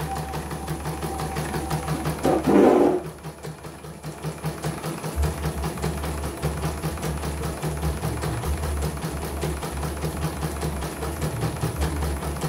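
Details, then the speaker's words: CNY embroidery machine (M21), sent in fully jammed with heavy rotation, retested with covers closed after servicing; the drag was traced to a belt. A brief clatter settles into a fast, even stitching rhythm with no catching or heavy drag: runs normally. "Oke, normal ya. Hasil oke. Tidak ada kendala sudah. Kita ditutup dan tes kembali."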